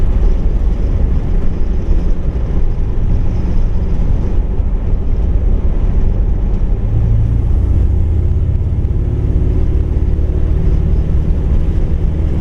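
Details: 1959 El Camino 348 Tri-Power, rebuilt engine, cruising: low rumble with road noise and an uneven, loping beat from a steady misfire. It idles well on all eight with good compression and spark, and ignition and fuel were checked twice; a lifter or cam is suspected.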